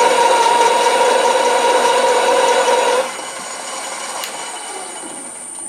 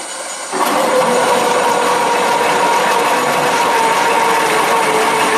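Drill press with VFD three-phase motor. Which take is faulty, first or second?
second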